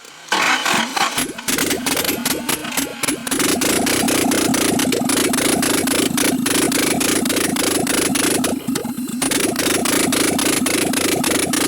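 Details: Nissan S12 Silvia turbo after engine reassembly, with improvised fixes on injector plugs that were not plugging in properly. Repeated cranking with rapid uneven chuffs and a few stumbles, but it never settles into a steady idle. Hard start; cause suspected, not confirmed.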